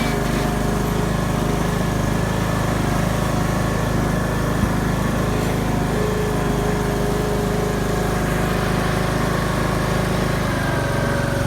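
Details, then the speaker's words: Craftsman YS4500 lawn tractor, 20hp Briggs & Stratton Intek, after new head gasket (failed beside pushrod chamber, burning oil) and tune-up: smooth, steady beat at constant speed, no knocks or misses; oil burning seems fixed. "I got the new head gasket installed and it seems to have fixed the oil burning issue so I'm pretty happy about that"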